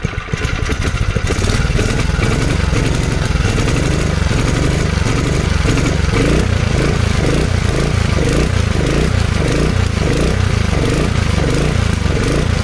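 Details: 1970s Honda G35 3.5 hp general purpose single-cylinder engine: catches and settles into a fast, even popping beat, holding steady at constant speed throughout.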